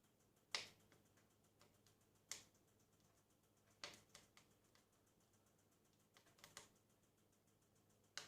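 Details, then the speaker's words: Napoleon Oakdale 1402 wood fireplace insert, first fire lit from cold, about six and a half minutes in with big door closed: sharp irregular metallic ticks every second or two; normal firebox metal expanding as it warms. "you starting to hear the metal on the furnace starting to expand you hear it ticking away"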